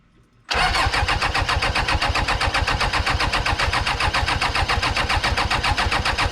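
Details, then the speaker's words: 1990s Toyota SDK7 diesel skid steer that sat for years, radiator removed: engine catches and races at full throttle with the knob-lever pushed in, cuts out when pulled; cause of runaway revving unknown. "it basically wants to go Full Throttle well if I have the lever pushed in the uh one with the knob on it if I have that pushed in it wants to go Full Throttle"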